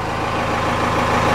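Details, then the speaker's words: 4BT Cummins diesel with a starting issue, restarted after shutting off: steady even idle with smooth low rumble, no misses or knocks, starts super fast; owner considering lift pump and injectors. "I'll shut it off and then I'll go to it starts up like super fast no problem"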